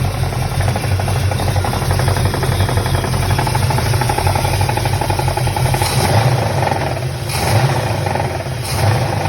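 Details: 1966 Chevelle 396 V8 running with a fast, steady knock over its deep exhaust rumble.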